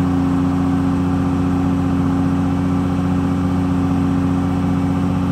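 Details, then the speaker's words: New S&J 4.7 stroker crate engine, oil pre-primed, during first-start break-in at 1800 rpm: steady, even drone, no knocks, ticks or misses; healthy fresh engine. "This thing sounds good. It's alive!"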